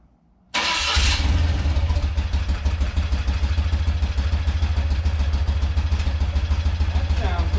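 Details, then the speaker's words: Rare twin-cylinder motorcycle, first start on full choke after clearing fuel flow to the carb: catches at once and settles into a steady, even fast idle; healthy cold start. "better oh yeah really good like that nice that's all i wanted all i wanted to do is hear it run hear it you know rev up a little bit"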